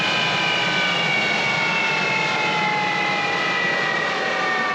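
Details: Collings Foundation jet's J79 turbojet engine on a ground engine run after leak repairs: a steady, even turbine roar with smooth high whistling tones holding level, a healthy idle after a successful run.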